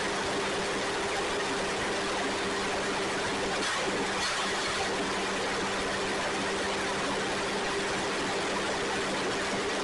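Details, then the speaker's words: Ford 2N tractor (serial believed 1946), sat outside without tires until two weeks earlier, now started and being driven a little: even low drone with a steady tone and no knocks or misses. Normal running. "and there we have it it's running pretty cool uh concerned what two weeks ago sitting outside with no tires on it"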